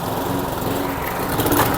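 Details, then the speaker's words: Old rotavator from a neglected spares-or-repairs job lot, small single-cylinder engine: starts at once and runs with an even buzzy beat, no misses or knocks; normal running. "I got no doubt that this one will start straight"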